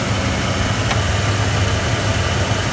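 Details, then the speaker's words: 1993 Ford F150 after replacing the engine computer and fuel pressure regulator, idle surge resolved; idling rock solid at 850–900 rpm, check engine light off, heard from the front of the engine; even, smooth idle with no hesitation or shaking. "There's no hesitation, no shaking, no problems with that engine"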